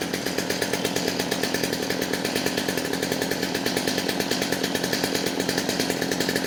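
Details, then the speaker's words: Stihl MS250 chainsaw with new carburetor and fuel system, just started: held flat out with a slightly burbling, uneven beat instead of a crisp scream, running a little fat on the high side, so the high screw needs closing; rich high-speed mixture. "a all right it's running a little fat on the high side so you're going to close that up a little bit"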